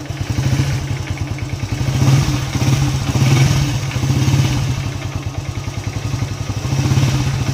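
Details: Honda EX5 motorcycle that stalled suddenly on the road, started after servicing and a cable service: the small single runs steadily with crisp, even pulses and picks up cleanly on repeated throttle blips. The mechanic thinks the problem may have been the KBT.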